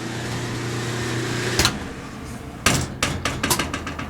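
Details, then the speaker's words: Dryer set to dry after clothes stayed wet: motor hums steadily about a second and a half, then loose knocks and rattles; motor spinning freely because the drum belt is broken. "Then I turned it back to dry and went like this. Well, that don't sound right."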